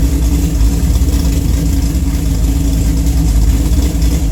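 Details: Deep, lumpy idle stumbling unevenly about three to four times a second, a really bad misfire, on an engine with a Cam Motion cam (222/226, .629/.629 lift, 112+3), Solo cat-back with mid muffler and J-pipes, and Manzo stainless headers.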